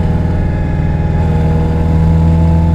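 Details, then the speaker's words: Newly fitted aggressive performance manual transmission on first drive, revving in gear: steady low gear whine over the engine, typical of this beefy box and not from wear. "as you can hear this thing is whining this time but not because it's worn out"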